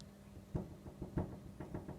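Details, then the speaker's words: 2014 Toyota Corolla with replacement bonnet whose new rubber height spacers were not adjusted: irregular soft knocks as the bonnet is rocked by hand; loose bonnet rattles on spacers, worse and faster at idle. "like a little bit of movement there just coming from the bonnet lid and of course you can hear that of course that vibrates a lot faster than that when the car is idling and it's quite a horrible sound when the engine's going"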